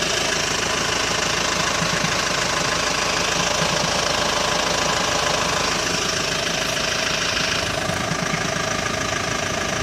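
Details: Hyundai ix35 diesel, cold engine warming up at idle: fast knock about three per second over the clatter; intermittent knock appears only when cold, disappears after warm-up, dealer could not find cause.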